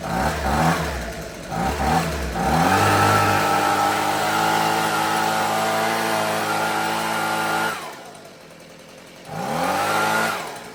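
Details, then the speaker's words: Husqvarna 125B two-stroke handheld leaf blower, sat for years with fuel, purge bulb blown, now running on fresh fuel, primed, no air filter. Fires and revs raggedly, sagging and falling on its face when throttled. Owner may open the low-speed screw a touch. "Can't really, I might open the low speed just a touch. It seems to fall on its face a bit when you open the throttle, but I gotta open some doors real quick."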